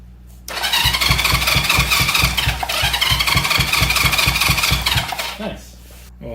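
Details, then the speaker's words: 1970 Honda CL350, sitting 42 years, after reconnecting the kill-switch circuit wiring to check for spark: starter churns evenly, about three compressions a second, for four seconds without firing; no fuel, so fuel is poured into the cylinders next. "I'm gonna throw some fuel down in the cylinders and see if we can get it to kick over"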